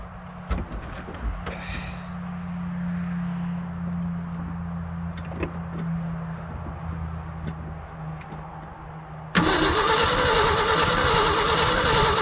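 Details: Old hybrid Ford F350 bumpside, long-sitting, cold weather, two-barrel carb: steady cranking with no cough; crank no start despite spark and fuel confirmed, owner wonders if spark isn't reaching the plugs or if it's the cold.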